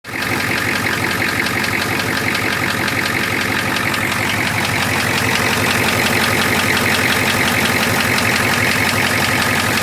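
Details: Ford 6.9 IDI diesel at idle with a loud, hard clatter over the whole run and a sharp knock repeating about three times a second; engine knock.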